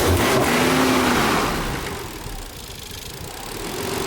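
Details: Nissan 300ZX with bogging issue (TPS sensor suspected), after battery reset and adjustments: engine snaps up from idle and settles back smoothly, crisp throttle with no hesitation or stumble.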